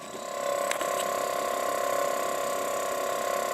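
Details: Refrigerator compressor in unit under 3 months old (3-month warranty): loud steady whining hum with a fast rattling pulse about four beats a second; compressor vibrates abnormally, felt by hand on its mounting, noisy vibrating compressor.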